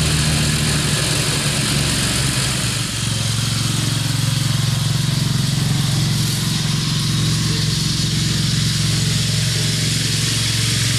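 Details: Craftsman LT2000 lawn tractor, Briggs 17.5HP, test drive after cleanup and repair: steady even drone with constant low hum, no misses or knocks; engine running smoothly.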